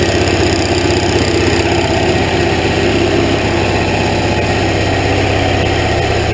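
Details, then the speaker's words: Hot rod golf cart small engine, first run after hand-pull start with starting fluid, choke on, temporary test: deep even rumble through muffler at steady fast idle, no stumbling or knocking; normal idle. "it's not gnarly loud well the tailpipes not loud it does have a nice Rumble coming through the muffler back here through the muffler in this tip I love that sound it's got a little bubble bubble bubble"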